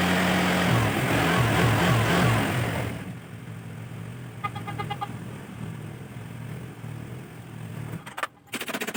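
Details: Carbureted Honda Vario scooter with weak battery, run about 2 minutes to charge the battery; brief rev then a quieter steady idle with no misfire or rattle, running normally.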